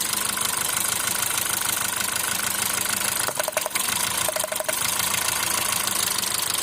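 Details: Hyundai Grand i10 at idle: uneven idle pulse that stumbles now and then under a hissy background; engine misfire.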